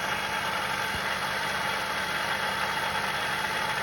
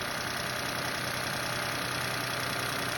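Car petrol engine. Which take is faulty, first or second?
first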